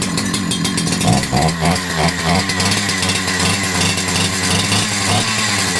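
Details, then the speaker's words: Holzfforma G372XP chainsaw (Husqvarna 372XP clone) that never ran right since new, new carburettor fitted: restarts on choke, fires and buzzes unevenly, hunting and stumbling, then dies as if running out of fuel; fuel-related issue suspected. "goodness and it instantly wants to [Music] die after a bunch more pulling and I was able to get it to restart on choke and it will try to run a little bit then it just seems like it wants to run out of fuel and then dies so we're still having some type of a fuel related issue"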